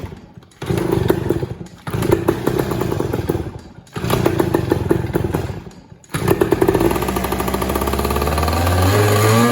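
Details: Yamaha PW80 two-stroke with the old carburetor refitted and its air screw stripped: revs surge up and die back every couple of seconds, never settling to a steady idle; owner suspects an air leak, unconfirmed.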